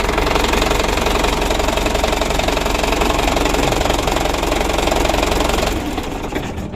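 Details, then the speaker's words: Recently bought used Mitsubishi Canter diesel: harsh, fairly regular clatter of about three knocks a second over a rough idle, coming from the left side. Suspected timing gear or injection pump camshaft bearing, not confirmed; governor still to be checked. "sudah sama-sama kita coba dan kita dengar suara mesinnya itu lumayan kasar sumber suaranya itu dari sebelah kiri ya Menurut saya dari gigi timernya itu yang pertama yang kedua bearing dari noken as bospomnya"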